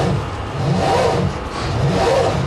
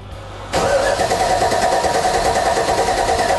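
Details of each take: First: Big high-compression engine in THE40 on its old weak batteries, before fitting two Exide Orbital batteries: labored, slow turning with sagging swells about once a second and no catch; slow cranking from weak batteries. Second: Toyota Land Cruiser 40 series big high-compression engine after fitting two new Exide Orbital maintenance-free batteries (2,000 cranking amps): quick, strong cranking, catches within a few turns, steady idle; battery and starting problem fixed.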